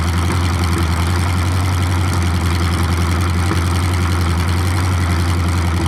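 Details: 427 big-block Chevy V8 on an engine run stand, first fire after a very long time unrun, distributor timing just adjusted: deep lumpy rumble with even loping beat, no knocks or ticks; idling smoothly.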